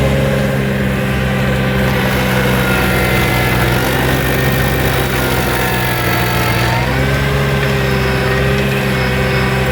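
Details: New Vermeer SC1052 stump grinder engine under heavy grinding load: steady strong note holding pitch, no knocks, misses or surging; passed hard torture-test use, healthy and unstrained.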